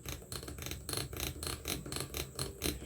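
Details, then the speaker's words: Singer/Silver Reed SK150 knitting machine stitch dial turned; crisp evenly spaced clicks, about four a second, as the spring seats in slots around the dial; normal detent action. "and here the clicking that is being made here now this particular model you turn it past 10 and lift but what you heard clicking was a spring going in these little slots right here around the dial"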